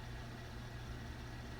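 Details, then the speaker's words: 2013 Cadillac CTS 3.0L V6 petrol idling with a steady, even low hum and no stumbles or surges, no engine light, after regapping out-of-spec spark plugs to 0.043 in and resetting the battery; rough idle fixed. "okay see now no engine light smooth idle no more fluctuation"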